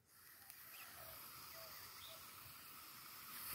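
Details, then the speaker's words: Carburetor held upright, air blown through the fuel inlet hose after the float was refitted the right way up: soft, steady hiss of air passing, so the float needle valve is open; flipped upside down it should close. "can you hear the air escaping yeah right so the float is open gas can get in"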